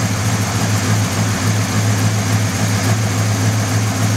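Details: Buick 350 V8 at idle: dull knock at roughly three to four beats a second over a deep idle; internal engine knock, cause unknown.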